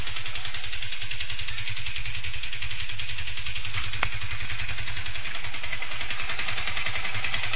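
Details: Yamaha FZ150i at steady idle: busy even metallic clatter over the engine, worsening daily with heavy vibration; persisted after overhaul, returned after engine bearing and primary driven gear replacement; owner suspects valves, unconfirmed.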